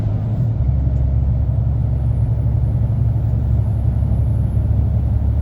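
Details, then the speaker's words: HGV truck descending Stainmore on the A66 in Cumbria, engine retarder engaged to save the foot brakes: steady deep diesel drone at constant revs in the blue band, sounds like over-revving but is normal retarder braking. "retarder in, that's why you can hear it. It sounds like it's over revving, it's not."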